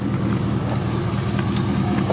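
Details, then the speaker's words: Blue supercharged Mazda Miata with a spark plug wire deliberately pulled from a cylinder: lumpy, uneven idle with stumbles, a clear misfire, though the check engine light does not come on. "yeah the culvert all right so we're having an issue the check engine lights not turning on for some reason you can clearly hear it's misfiring"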